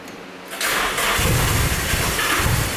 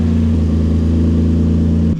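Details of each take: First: Nissan 350Z DE single-turbo build with igniter chip bypass, ECU stuck in open loop on the tune: uneven cranking with irregular pops and spits, never settling to idle; flooding from earlier cranking suspected, black smoke, running very rich. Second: Nissan 350Z VQ35DE single-turbo build on its first drive in six months, live street tuning: steady, even engine note with no misfire or stumble, easing down slightly at the end. It holds closed loop, with minimum pulse width apparently the issue; running properly.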